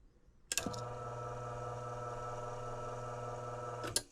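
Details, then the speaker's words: Blower motor newly replaced after noisy old one, same capacitor, running on low speed: clicks on, smooth steady low hum with no rattle or wobble, switches off cleanly; healthy, far quieter than before. "Cross our fingers, moment of truth. That's 1,000 times better. Alright, it's going to be on low speed here. That's more normal level."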